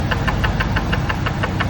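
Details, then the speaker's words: Ford SVT Lightning engine at idle: sharp metallic knocks at about six per second, as loud as rod knock, but caused by the PCV valve baffle breaking off inside the valve cover; the valve cover was replaced. "Came out, broke. It's making tons of noise in the engine. Had me worried."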